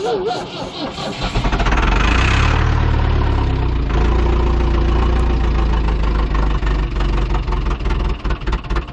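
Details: Ford 2701E 240 CI 4-cylinder diesel on a grapple log loader, sitting 15 years with old fuel and air in the system, broken return line found: starter cranks about three and a half turns a second, catches unevenly but won't run; no start, air in fuel.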